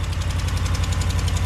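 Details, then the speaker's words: Gen 4 Ram 1500 Hemi V8 parts truck, sat a long time, slightly warm, unexplained high idle: quick light ticking over the low rumble from an exhaust manifold leak, gaskets on order; engine otherwise fine. "so there's your exhaust tick so this motor is fine we got a good engine"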